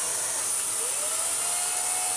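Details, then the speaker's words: Dyson DC54 Cinetic floor head brush bar after refurbishment, cleared of hair with its bearing oiled: spins up to a steady, clean whirr at an even pitch and doesn't slow on carpet; healthy. "there it is that's what it should sound like it it had its bearing oil it was full of hair as well doesn't slow down when it hits the carpet which is key"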